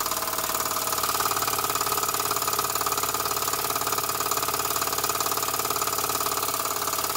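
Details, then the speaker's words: Small model engine, likely the vertical steam engine just fired up, driving a homemade Baker fan through a drive belt as a working load. Quick, even chuffing about 2.5 beats a second with light mechanical clatter; normal running under load. "that drive belt off to show you the load that the baker fan puts on as soon as I take it off you'll notice the hopefully notice the engine pick up speed straight away"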